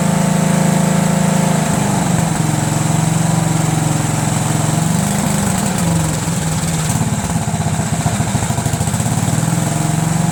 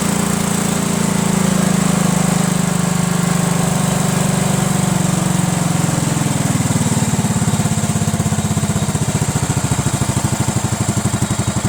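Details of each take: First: Cub Cadet lawn tractor, Kohler Command single: uneven running with pulses wandering and sagging under load; lean stumble from a worn mechanical fuel pump actuator barely pulsing at full throttle, stalls off choke, carburetor also suspect. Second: Cub Cadet lawn tractor, Kohler Command horizontal engine, normally runs rough and barely stays running; gravity-fed straight to the carburetor bypassing the fuel pump, it holds steady then settles lower and runs smoothly, pointing to a bad mechanical fuel pump with a worn actuator tip.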